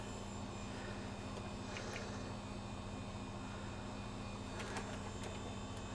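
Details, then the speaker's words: HP Vectra V5 Pentium 166 desktop at power-on, BIOS sees no hard drive: quiet steady hum and whir with faint ticks inside the case, an unhealthy-sounding drive or fan spinning. "That does not sound healthy in there. I'm hoping you can hear that."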